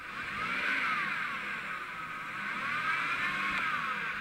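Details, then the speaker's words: Revved in park; whine rising and falling with each rev, worse shifting afterward; transmission-related, torque converter suspected, not confirmed. "well i can tell by that noise that it's transmission related and on these things a lot of times it's the torque converter starting to go out"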